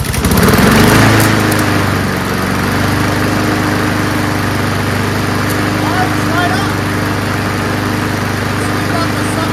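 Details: Curbside Honda Quadra Blade GCV160 self-propelled mower, fresh test gas and oil full: catches on the pull and settles into a steady, even drone with no misses or surging; engine runs healthy.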